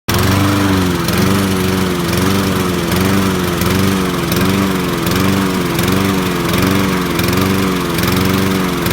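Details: Sears Craftsman mower, Honda engine, model 944.365452, running: the note keeps dipping and surging and won't hold a steady beat, so the engine is misfiring.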